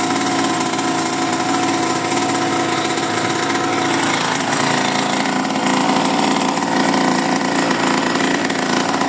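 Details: Mini bike's small single-cylinder engine at first start after 30 years in a barn, new spark plug and cleaned carburetor only: fast, steady putter with no misses or stumbles, running evenly and healthy.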